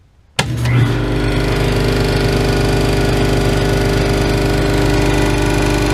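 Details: New Ingersoll Rand 5 hp single-stage twin-cylinder 60-gallon air compressor for a CNC plasma air system, restarted at about 50 psi tank pressure: motor kicks on sharply, then a steady even pumping drone, no knocks or rattles; healthy filling.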